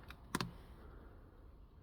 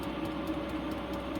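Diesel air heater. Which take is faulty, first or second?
first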